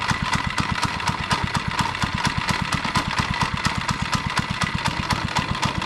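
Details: Monster Moto minibike, two-stroke of unknown displacement, after a carburetor clean and fresh gas. A quick, regular single-cylinder putter holds a steady idle speed without misses. Normal idle.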